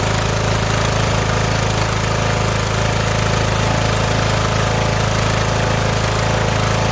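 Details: Riding mower started on choke: a steady, even putter at about four beats a second with no stumbles or knocks, running smoothly on its own gas tank.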